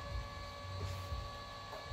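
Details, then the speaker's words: Royal Sovereign RSC-1650LSH 64-inch hot and cold laminator laminating a sign, take-up reel running: steady low motor hum with faint constant tone, earlier squeal gone as material now keeps rollers from grabbing; normal running. "you can hear there's no squeal anymore because there's only I don't know a half inch of that stuff down there it's not grabbing anymore the material itself is keeping it off"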